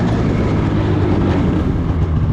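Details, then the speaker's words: 2016 Polaris Indy 600 SP snowmobile on test ride: heavy flat rumble that never climbs, bogging and unable to rev under throttle. Fuel starvation from a plugged fuel filter. "I couldn't get any more out of it so I don't think there's any point in putting a draggy on here cuz this thing is not performing at all"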